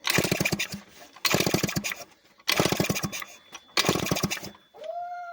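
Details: Two-stroke scooter that sat unused for a long time, cranked with the kick-start after the carburettor was cleaned and a second spark plug fitted: four rough chuffing pops about a second apart, each dying out, then a brief rising note. Oil that seeped into the crankcase during storage is suspected.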